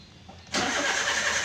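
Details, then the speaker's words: EFI engine on a tune-up test, after a broken 40 A fuse was replaced fixing the starter circuit: a quiet pause, then a steady whirring crank, check engine light on, engine never catches; fuel system checked next. "Coba sekarang kita hidupkan starter sudah ya ini sudah nyala untuk check engine dan bab ini tidak hidup ya"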